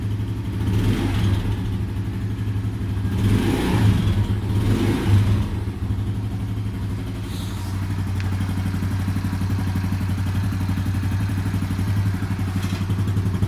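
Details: Yuki Gusto 50cc Chinese motorcycle engine after a mechanic's valve adjustment: revs rise and fall, then an uneven idle with a light ticking clatter; valve clearance misadjusted.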